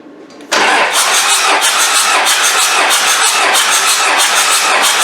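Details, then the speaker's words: Isuzu 4BD1T diesel in a Land Rover Defender, cranking with glow plugs out for a compression test: an even cranking beat of about 3.5 per second, no firing; compression is even, with readings of 425, 425 and 400. "so the was rather encouraging result number one was 425 number two was 425 number three was 400"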